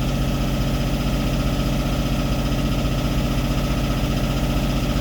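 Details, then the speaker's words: Westerbeke W13 4.4 kW two-cylinder diesel generator after glow plug solenoid replacement and terminal cleaning, warmed up a few minutes under load: even low thrum, steady beat, no hunting or surging; about 121 V, frequency within 0.2–0.3 Hz. "Old school Westerbeke 2-cylinder. Not the smoothest generator, but it does work."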